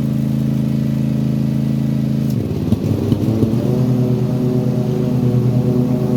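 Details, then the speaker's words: Toro TimeCutter mower, Kawasaki FR691V twin, after running warm for about 10 minutes: steady drone suddenly stumbles, breaks up with uneven pops, then recovers rough; fine when cold; hot misfire, cause unconfirmed. "well if you heard there my um lawn more started uh kind of skipping cutting out popping uh misf um and it only does it once it's warmed up"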